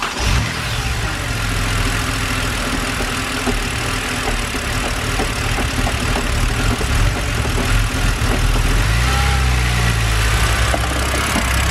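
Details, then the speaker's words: BMW N52 engine after cleaning and reinstalling the mass airflow sensor: uneven, lumpy idle stumbling about three times a second; smooths when the MAF is unplugged and returns when replugged, faulty MAF sensor. "so still seem to have the raw fighter so i'm going to go ahead and disconnect the mass sensor and it seems to be all right now and then if we plug it back in that rough idle just comes back"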